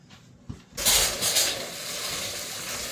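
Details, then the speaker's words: Rinnai RE180 tankless water heater after burner, fan, heat exchanger and inlet screen cleaning, unit unpowered: hot tap opened, sudden spitting hiss settling into steadier flow as trapped air purges from the hot water line. "You can hear the air coming out the faucet."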